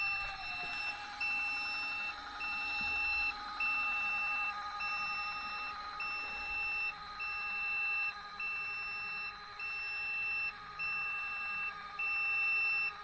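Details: Tec Vans elevator bed in camper van, test run after levelling via the top straps: sharp high beeps about once a second over a faint motor hum while the bed travels to near the ceiling; normal operation.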